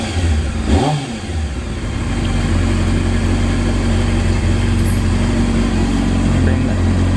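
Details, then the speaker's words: 1998 Honda CBR600 F3 after a no-start (died after riding around the block), running again once carburetor bowls refilled: one quick throttle blip, then a smooth, steady idle with no misfire or stumble; sounds real good. "so you know customer is happy so far sounds real good"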